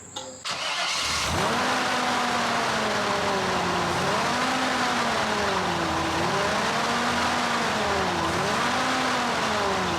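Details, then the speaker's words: 1975 Chevrolet Corvette Stingray with Edelbrock carburetor, sat for years: cranks and catches, revs swell and sag as the pedal is worked, and it dies once the gas is released. Won't hold idle; cause unconfirmed, vacuum lines and carb to be checked. "so that's with him giving a gas we could keep it running but as soon as he let go of that gas pedal just wants to die"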